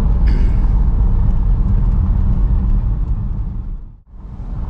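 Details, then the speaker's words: 2002 Porsche 911 C4 at 122,4xx miles, test drive after replacing worn front control arms to cure a slow-speed clunk. Steady road rumble with no knocks or clunks; no clunk so far at low speed, bumpier roads untested. "right so i'm not hearing it now that may change when i go out on the main road and pick up some other bumpier roads and maybe some more speed"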